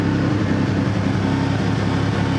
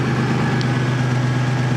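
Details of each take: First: Toyota 4Runner 3.4 V6 with random misfire codes P0300/P0305: deep loud idle with uneven pulse and occasional alternating stumbles, partly masked by loud exhaust; owner suspects a coil or plug wires. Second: 2000 Toyota 4Runner 3.4 with P0300/P0305 random and cylinder 5 misfire, after swapping coils between cylinders 5 and 1: steady even low hum, no stumbles, fairly loud exhaust; smooth normal idle.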